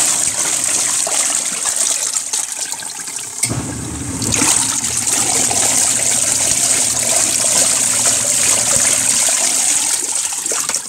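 Steady churning and sloshing of water with a soft motor hum underneath, even and unbroken; a normal wash agitation.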